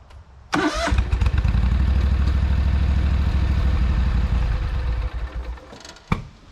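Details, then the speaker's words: Lesco zero-turn mower, Kohler CV20 20 HP V-twin, restart test after charging-system repair: short crank, fires right away into a deep, even idle, then shuts off; restarts on its own battery for the first time in a year. "I think it's good to go now. It's been about a year since I've been able to restart it without charging the battery."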